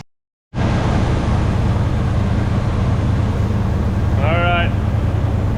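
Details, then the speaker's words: 1980 Chevy C30 Squarebody dually, after sitting 26 years, warmed to temperature: low, steady V8 rumble at idle, even with no misses or knocks; normal warm idle. "as you can hear in the background I got it fired up I got it warmed up a little bit to temperature and it's just sitting here idling"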